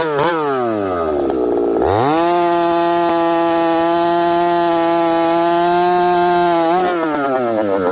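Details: Husqvarna 371xp chainsaw with a new pop-up piston, running in hardwood. It climbs to a steady high scream and holds without returning to idle. The owner suspects dirt still in the previously filthy carburetor, unconfirmed: engine hanging at high revs, not returning to idle.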